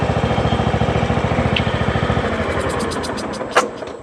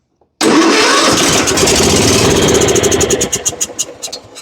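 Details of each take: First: John Deere riding mower with Kohler Command engine after solenoid swapped onto carburetor; steady even single-cylinder thump at fast idle, then trails off at shutdown, runs clean and smooth: normal running. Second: John Deere riding mower, Kohler Command engine, turns over but won't start: fires on a shot of brake cleaner, runs rough a few seconds, then sputters and dies; a fuel problem, with the anti-backfire solenoid found stuck from bad gas.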